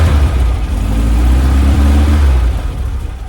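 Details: 1967 VW Splitscreen flat-four after service with new HT leads, distributor cap, spark plugs and tidied fuel lines: deep even rumble rising and settling with throttle, no popping; earlier slight backfire gone.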